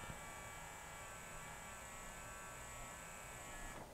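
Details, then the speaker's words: Yamaha CDC-697 5-disc CD changer with grease on loading belts: thin steady motor whir for nearly four seconds with no tray clunk as the loading belt slips and the tray fails to close. "oh it closed that time interesting it did not close and all i heard was the motor spinning previously"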